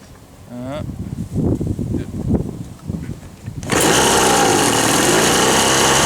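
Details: Old Ryobi RSV 3100e two-stroke leaf blower, both carb mixture screws seated then backed out two turns: after handling noise fires and holds steady raspy drone without clean rise. Rough running; mixture likely too rich.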